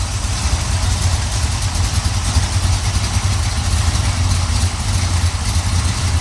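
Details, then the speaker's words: 1970 Pontiac Trans Am 469ci pump-gas stroker, Lunati hydraulic roller cam, Johnson hydraulic roller lifters, Performer RPM intake, 850 Holley: steady lumpy idle about 700–750 rpm, slight exhaust burble, no lifter noise; healthy. "I mean, sometimes you hear the exhaust cackling a little bit, but there's no lifter noise. Idling probably about around 700, maybe 750."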